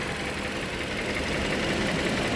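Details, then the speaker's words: 2013 Toyota Venza 2.7L, first startup after engine install, warm, approaching first heat cycle, no blow-by or smoke: faint quick ticking knock over a steady idle hum; suspected balance shaft dampener noise, lifter doubted, not confirmed. "And again, if you look at my other video regarding this engine with the balance shaft, it's exactly the same noise. So it's like when they're not solid, it's a dampener in those balance shafts, and you'll hear that."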